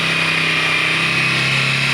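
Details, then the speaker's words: 2018 Bajaj Pulsar 150 BS4, kick-started after a CDI coil replacement and a petrol refill, after sitting about 5-6 months: steady buzzy engine note at one speed with no stumbling or misfire; it runs normally. "ఇప్పుడు ఒకసారి kick కూడా చూద్దాం. చూడండి, మన vehicle start అయింది."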